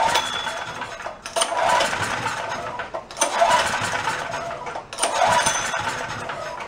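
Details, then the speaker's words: Roadside-found Chinese knockoff mid-size generator after carburetor work, running worse than before; owner wonders if the main jet screw wasn't down far enough but doubts it. Surges and sags about every two seconds, never settling: rough running, surging, fuel starvation suspected. "but I took it back apart I really didn't see anything I was wondering if I possibly didn't have the main jet screw down far enough"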